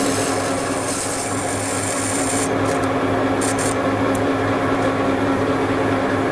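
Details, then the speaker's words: Standard boring bar with a cermet insert boring a bearing seat in a large cast-iron welding-positioner housing: a steady low rumble with a rasping buzz over it throughout the cut. This is boring bar chatter. "This is my standard boring bar with the Cermet insert, and you hear the rumbling? That's chatter."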